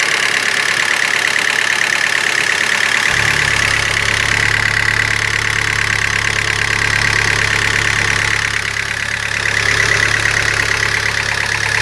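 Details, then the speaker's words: Citroën C4 2.0 16v petrol engine, warm and idling, knocks with a steady rapid metallic beat about three per second for two to three days; rises with revs, no warning lights; engine oil level found very low. "porém o veículo fica batendo aqui eu vou ligar pra vocês verem olha o barulho como é que fica e já tem um tempo que tá ligado ó ó"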